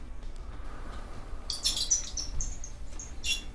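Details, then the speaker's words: Worn idler pulley from a Whirlpool Cabrio dryer, removed and turned by hand: sharp, high bird-like chirps and squeaks, the same squeal the dryer made while running. Fixed by replacing the idler pulley, part W10837240. "you can see it's making the noise that we heard the beginning of the video"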